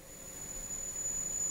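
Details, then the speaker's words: Marantz PMD 520 three-head cassette deck at normal speed running auto bias: steady high test tone over faint tape hiss, no break or wobble; normal bias calibration tones, no errors reported. "stop auto bias okay and these are the biased chit tones but if you hear that but like i said they uh it's very thorough the biasing than"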